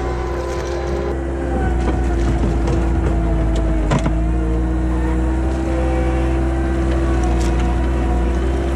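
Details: 1999 Bobcat 864 tracked skid steer working after a rebuilt right-side drive motor was installed in place of a weak, whining one: constant engine hum with steady mid-pitch hydraulic note, one brief clank; operating normally.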